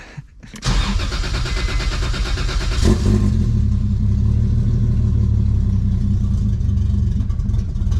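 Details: 1.5JZ-swapped E46 M3 on its very first start: engine barely catches then runs ragged and uneven with low chuffing and no steady beat, starving on a very lean mixture, later idling.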